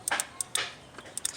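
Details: 2004 Honda Pilot with code P0740, transmission solenoid bench-tested with battery power: sharp light clicks at uneven intervals, rapid chattering instead of one click; solenoid is faulty.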